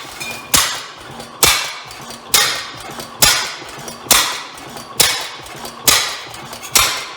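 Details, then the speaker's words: Rare old Bovard & Company engine restarting, believed two engines combined into one: slow regular sharp cracks about once a second, each fading before the next; owner suspects an exhaust issue or backfire, cause unconfirmed. "may have a little bit of an exhaust issue there did that backfire"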